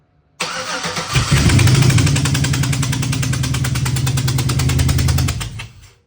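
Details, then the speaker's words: LS 5.3 V8 for a Nova swap on the garage floor, after getting the injectors working (previously only one cylinder fired): brief crank, then it starts instantly and settles into a smooth, even V8 idle. "Okay, instantly started. Forgot we pulled plugs, so we put plugs in."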